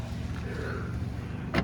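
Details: 1999-2004 Jeep Grand Cherokee front door, window lowered during regulator and motor replacement: soft, steady motor hum runs evenly as the glass travels down, light clunk near the end; normal power window operation.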